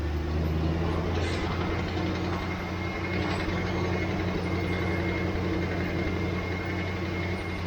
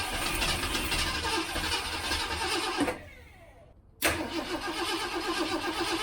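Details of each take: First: 1967 Mustang restarted once more before swapping its leaking carburetor: steady, even V8 idle with a smooth low rumble and no stumbles, knocks or hunting; engine running healthy. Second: 1967 Mustang after months of sitting, fuel pump working, float bowl likely empty, on jump box: starter spins steadily but never catches, pause then more cranking; crank no start from no fuel.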